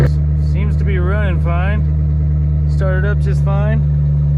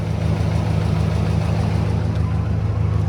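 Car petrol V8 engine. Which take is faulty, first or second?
second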